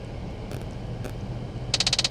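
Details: Cabin with A/C running, mode changed from full heat to full cold: steady fan hiss, then sudden fast ticking, about twenty sharp clicks a second, from the passenger side of the dash; blend door actuator travel fault, code B10AE.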